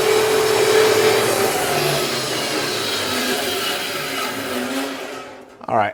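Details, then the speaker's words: Harbor Freight bandsaw upgraded from burnt-out 3/4 hp stock motor to a Leeson 1 hp 1725 rpm motor, cutting a two-stack of 2x4s: steady strong drone holds speed without bogging, winds down as blade clears; normal cutting under load. "so i need to kind of adjust everything now that we got some power because that went a whole lot better than i had in the past"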